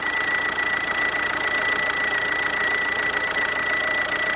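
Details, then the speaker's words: Kia Ceed 2.0 CRDi 140 hp diesel at idle, squeal appearing once warm rather than cold: steady high-pitched squeal near the alternator, traced to the alternator-mounted vacuum pump drawing air through a leak; vacuum pump squeal. "Wychodzi na to że się rozszczelnił i robi nam takiego psikusa także powymieniać a okazuje się że pisk pochodzi z pompy wakum zamontowanej pierońsko na alternatorze Dlatego z okolic alternatora tutaj powstawał pisk"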